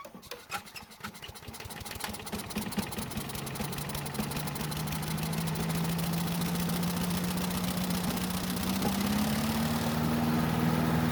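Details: Lawn vacuum small engine, fresh gas, safety switch bypassed by removing ground wire because bag missing: pulls through, catches and settles into steady run with rising pitch; starts and runs but weak suction, won't pick up leaves, cause not yet shown.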